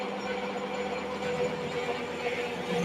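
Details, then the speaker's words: Lathe turning, 2 mm depth of cut: a steady buzzing chatter rides over the cut; the vibration harms the machine, wears the tool and makes machining difficult. "And as you can hear, that vibration comes in. And the vibration does uh a couple of things. It It's no good for the machine. It puts extra wear on the tool and yeah, it makes it difficult to machine."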